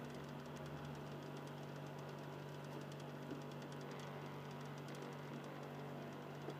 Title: Xbox 360 slim Phillips DVD drive soft grinding noise with a different tone